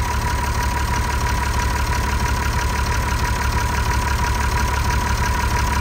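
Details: TK Bedford crane truck with a replacement Perkins 6354 six-cylinder diesel, unused 20+ years, restarted after bleeding air from the fuel system: smooth, even clatter of about three firings a second, no misses or knocks, a normal settled diesel idle.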